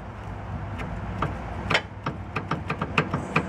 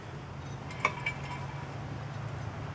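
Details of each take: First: 2003 Honda Element with a vibration when accelerating: loose, irregular knocks and rattles as the sway bar link is shaken by hand, excessive play; this link is totally shot and a main source of the clunking. Worn sway bar link. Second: 2003 Honda Element front hub spun by hand with the ball joint removed, while chasing a vibration on acceleration: quiet, even low hum with only a couple of light clinks from handling; wheel bearing sounds smooth.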